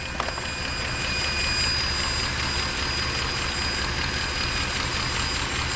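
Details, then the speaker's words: Mercedes ML63 AMG V8 at idle, heard in the engine bay: constant airy hiss riding high over the engine; suspected vacuum leak from a solenoid or intake gasket, not confirmed; valve cover gaskets also leaking. "Could be one of these solenoids or an intake gasket. Something in here is making that noise with the vacuum leak."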